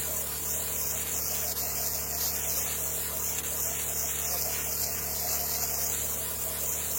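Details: Chemical spray pump rig after tightening a fitting to chase a suspected air leak (chem line pressure had dropped to nothing on a job): steady even pump hum under constant spray hiss, no surging; brief spit switching chem to water is normal, pump drawing normally again.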